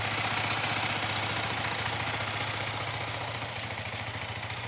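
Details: Yamaha R15 V3 BS6 after rocker arm replacement and valve clearance adjustment, which fixed head noise at 8000 km: even, steady single-cylinder idle with light regular valve patter and no loud ticking; normal idle.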